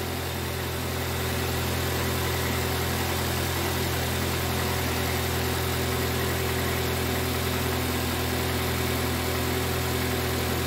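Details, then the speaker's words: 2005 Toyota Corolla idling after repair of a P0304 misfire and a leaking valve cover gasket that let oil into the spark plug wells: smooth, steady low drone with no skip, misfire gone. "so uh just make sure that the misfire is gone I can already hear that the vehicle is running okay now"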